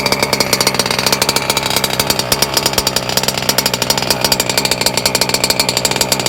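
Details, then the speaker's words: Small two-stroke on break-in, restarted after a few hours, set really rich and drinking a lot of fuel; a fast, even crackling buzz that holds steady and runs slightly blubbery. "It's been a few hours now, and this sucker is going through fuel, boy. It is drinking. It seems to be thirstier. I have it really rich as well, so alright, let's fire the sucker up again."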